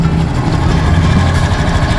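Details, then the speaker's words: Mio scooter after overhaul (replaced block, connecting rod, piston, pulley/rollers); low steady idle with even putter, previous rattle gone, engine now quiet; normal idle after repair. "Diba? Naririnig nyo, tahimik na yung motor ni Moto Joe."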